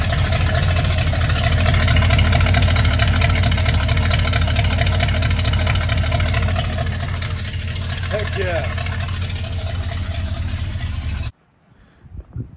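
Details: 1966 Ford F100 V8, hot, after an exhaust leak was fixed with a new gasket and retightening. A deep, even idle burble with no ticking or puffing, running slightly rich; ignition timing is still to be advanced.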